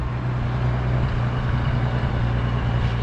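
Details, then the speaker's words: 1941 Lincoln Continental, flathead V12, just started cold on fast idle, temperature gauge falsely reading warm: steady, even low hum at raised idle with no misses or knocks; engine settling into a clean fast idle. "so we'll walk around now that it's running you can hear it starting to clean up"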